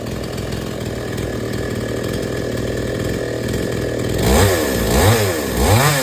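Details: Chainsaw that would not take load, after H/L screws set fully in, then out three turns. A steady idle, then three quick throttle pulls climb cleanly and settle without bogging: normal running under load.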